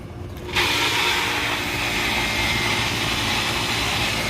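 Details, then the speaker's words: AC condensing unit switching on after the disconnect is reinserted, thermostat set to cool at 70 with 87 degrees indoors and 24 V control voltage confirmed: a click, then a steady rushing hiss over an even hum; compressor and fan running normally. "I want to check to see if my condensing unit runs obviously will want to see if the compressor turns on and if the fan motor turns on"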